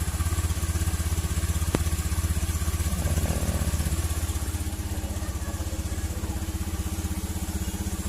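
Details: Honda Beat fuel-injected scooter that was totally dead, fixed after finding and repairing a wire chewed by rats and corroded: small single putters along with a quick, very regular beat about four pulses a second, no misfires; runs healthy.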